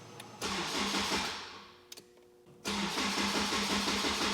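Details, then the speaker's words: Honda Type R with stock starter button wiring work, after clearing codes: starter cranks about three beats a second in short bursts that shorten each try (five, three, two), stopping on its own; never fires. "It went, but it stops on its own. So the first time it cranked like 5 times, the second time like 3 times, and now like twice."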